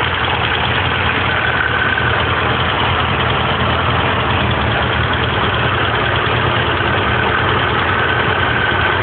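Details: 1978 Porsche 924 with rebuilt engine, suddenly loud: busy, rapid ticking at idle keeping pace with engine speed; some tappets very loose, adjusters maxed out because valve stem tips weren't ground during the valve job; excess valve clearance.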